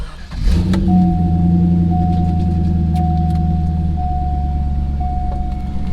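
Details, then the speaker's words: Corvette V8 start-up after a new battery was fitted. Borla exhaust is the only modification; stock catalytic converters retained. The starter catches and it settles straight into a steady, even idle with a deep burble; a healthy start. "It sounds pretty good, honestly, for it still has catalytic converters. Everything is still stock."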